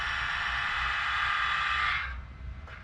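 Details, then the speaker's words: 1957 Chevy Bel Air 327 V8 with newly fitted remote-controlled exhaust cutouts: steady electric actuator whine for about two seconds as they open and close, then a clean stop; cutouts work normally. "close. That's pretty slick, I gotta say."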